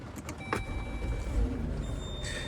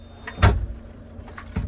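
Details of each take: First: 2017 Chrysler Pacifica with VMI Northstar wheelchair conversion, at key-on: a steady high-pitched electronic buzz over cabin clunks, the alarm that sounds when the power chair is absent or not locked into the docking system; it can be muted. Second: 2017 Chrysler Pacifica VMI Northstar wheelchair van with a Pride Jazzy 600 power chair: two solid clunks as the chair latches into the quick-lock, then no alarm, and the lock button lights, showing it is properly locked.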